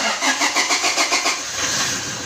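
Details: Toyota Hilux 2GD diesel, push start, after reinstalling brake switch for a P0504 brake switch correlation code: starter churns through about seven quick even beats, then engine fires and settles into a steady smooth idle; normal start.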